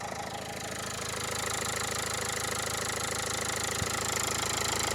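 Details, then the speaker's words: 2015 Dacia Logan MCV idling after an oil and filter change, before adding hydraulic lifter additive; fast even light tick, about three per second, lifter tick still present. "I'd say yeah, that still sounds like it's ticking to me."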